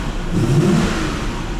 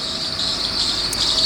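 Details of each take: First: Audi V8 after thermostat change and lubricating the ribbed-belt tensioner, started with A/C on: smooth rising roar through two revs with no whistle or squeal; six-month belt squeal fixed. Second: 1990 Audi V8 3.6 engine that has whistled for 3–4 months: a steady high-pitched squeal of constant pitch over a quiet engine, from a slipping belt.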